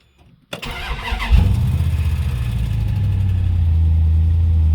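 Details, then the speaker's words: 1956 Dodge after new mufflers, plenum repair and new parts, ECU reset, radiator flushed: first start cranks, catches and settles into a deep, quiet, even idle with steady low rumble; runs way better, normal idle. "oh it sounds way better oh it's actually really good so quiet it's really good now"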